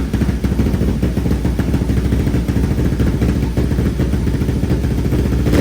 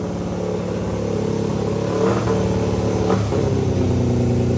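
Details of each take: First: 500cc mini bike after fitting a full stainless exhaust with high-flow muffler and retightening a baffle that had vibrated loose, carb only partly tuned: steady low idle with a quick throttle blip, sounding much better with nothing loose buzzing. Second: 500cc mini bike after a partial carburetor tune with new full stainless exhaust and high-flow muffler: revs climb then linger before easing down, not revving out fully, with a loose clatter underneath; rev hang, owner suspects it is still running lean.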